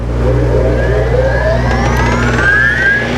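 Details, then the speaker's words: Contec CT320 floor planer/shaver, manual star-delta soft start: steady low hum climbing smoothly as the drum spins up in Y (star) for about ten seconds before switching to delta; normal soft start, no grinding. "begins the drum turning wait for about ten seconds switch it over to your Delta and now your machine is up and running you're ready to go"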